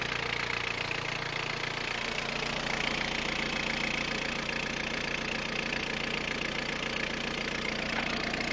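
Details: Peugeot 106 1.5 diesel (11/2002), 130,000 km, timing belt done at 73,000 km, idling: constant hard ticking clatter about three beats a second over the engine; engine noise, cause unclear.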